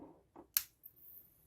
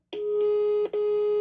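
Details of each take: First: HDL intercom exchange power supply after replacing an electrolytic capacitor, powered through a series lamp: click at switch-on then faint, thin, very high steady whine from the supply; still faulty, power supply whine. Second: HDL intercom/door-station central after its power supply was repaired; dial tone checked by touching a cordless speakerphone's lead to the extension terminals. A steady, clean mid-pitched tone is heard apart from handling clicks, so the line works normally.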